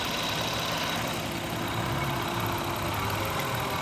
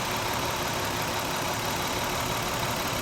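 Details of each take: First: 2000 Toyota Avalon 3.0 VVT petrol V6 after fixing a misfire by replacing a faulty coil pack: slow, even idle with steady low hum and no stumble or skipped beats. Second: 2000 Toyota Avalon 3.0 VVT V6, warm idle: uneven fluttering beat with one cylinder dropping out — misfire, cause being diagnosed.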